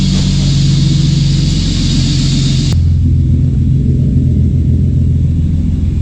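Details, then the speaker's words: Engine-swapped car with a full stainless exhaust (manifold, X-pipe, Super Sprint muffler), loud deep even burble with strong low rumble stepping down smoothly, louder than a similar E30; healthy engine. "Ah ouais, elle fait du bruit mon gars, plus que la mienne. C'est abusé, hein. Ouais ouais, mais le bruit il est plus joli que le mien."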